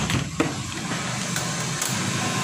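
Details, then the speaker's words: Honda Scoopy ESP scooter that stalls after its tank was drained and cleaned, ignition key on: short whirring hum rising and holding steady under a faint watery rush. Fuel pump priming normally. "Nah, ketika di kontak on untuk bagian full pump, Pak, di sini dengung, Pak ya. Nah, oke. Untuk sementara full pump dikatakan bekerja, Pak ya, karena di sini bunyi nyiung ketika kontak on."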